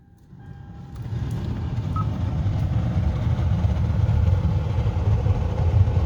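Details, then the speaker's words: 2011 Hyundai Elantra HVAC blower, mode flap stuck in face position despite new switch and actuators: blower comes up with an uneven, fluttering rush of air, sounds like something flapping; blower motor to be removed to reach the flap. "sounds like something is flapping not real consistent airflow coming out"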